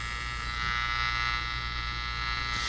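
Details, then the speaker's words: Panasonic Radar Matic radio receiver during alignment with a 400 Hz, 50%-modulated AM test signal: a steady, harsh, fixed-pitch buzz over the hiss, interference from a nearby household lamp dimmer. "I think this noise is an offender that I have here what I'm going to do is uh it's a a lamp dimming control in here so what I'm going to do is shut that dimming control off and see if that helps it"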